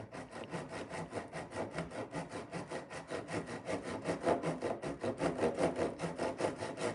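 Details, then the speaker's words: Irwin tenon saw before sharpening, cutting wood: rough rasping strokes about two and a half a second that catch, skip and chatter instead of biting, and cut very slowly. The saw is dull. "I can definitely hear it and feel it. It's just skipping and jumping like there's no tomorrow. And you can probably see the speed that it cut at. It's just it's very slow."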